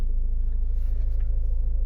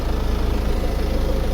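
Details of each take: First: 2015 Ford Mondeo Mk5 estate, heard at the rear after fixing a cabin hum: steady low engine rumble with an even pulse and no hum or buzz; vibrating fuel-pipe plastic cover secured with a zip tie, now normal. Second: 2015 Ford Mondeo MK5 estate: deep, even idle drone with a fast buzzing pulse underneath from the rear passenger side; fuel pipes loose from their bracket under the car vibrating, fixed by clipping them back.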